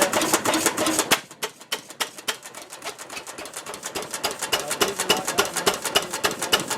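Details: 1926 Ruston Hornsby single-cylinder engine, first start in 5 or 6 years, mixture leaned from too rich: light, even clatter of valve and ignition ticks, roughly three a second, with no misses; running properly.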